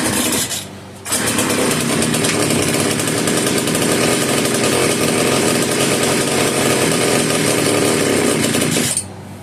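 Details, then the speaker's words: Italian-made Castor 330 Antivib (rebranded Alpina) chainsaw, choke on to prime carburetor: catches and screams at high revs about eight seconds, then cuts out abruptly; owner suspects a bad carburetor diaphragm. "At this point, I'm pretty sure we can say that the diaphragm is no good. There's other things. It could be a plugged fuel filter, it could be a collapsed fuel line, plugged or gummed up ports in the carburetor."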